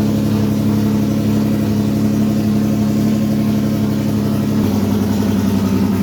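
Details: MGC GT six-cylinder engine, new and pre-oiled, first start: steady, even idle with smooth low hum and no knocks or misses; the six is running cleanly, normal idle.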